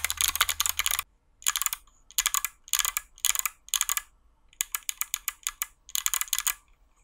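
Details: Hot-swap 60% mechanical keyboard built without soldering, 61 keys with Kailh Box switches and lubed stabilizers: crisp, loud clacks in quick bursts with clean returns and no rattle on the longer keys. Normal typing sound.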